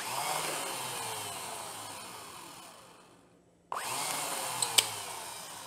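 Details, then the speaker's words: 1982 Honda GL1100 Goldwing, sat 12 years, starter motor rebuilt and bench-tested with power: high whir spins up fast and evenly, no grinding or drag; starter runs freely. "Huh? That's what we've been waiting for."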